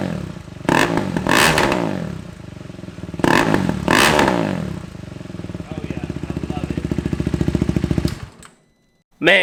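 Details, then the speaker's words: KTM Duke 390 on a true cold start just after fitting a Pro-Race shorty exhaust in place of the quiet stock one: revs blip twice, quick slightly uneven idle with sharp pops; owner suspects it is leaning out and plans a FuelX. "absolutely love the way that sounds um it's actually got some pops to it now so it's probably time we throw on the the fuel x we can add some more fuel to it so it's not leaning out any"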